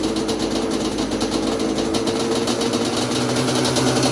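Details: Yamaha Banshee two-stroke twin on a freezing day, choke held by hand; it would not start without starting fluid. A fast, ragged idle with uneven firing and a faint whine; the carbs need going through, cause unconfirmed.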